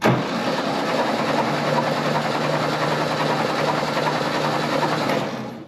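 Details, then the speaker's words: Type 1 VW Bug engine in a salvage dune buggy, cranked with spark plugs out to clear debris: fast, even starter spin without compression thumps for about five seconds, then winding down; normal cranking. "Starter's working. I saw a little bit of stuff come out the spark plug holes, so I'll crank it for a little bit, try to make sure everything's gone from in the cylinders."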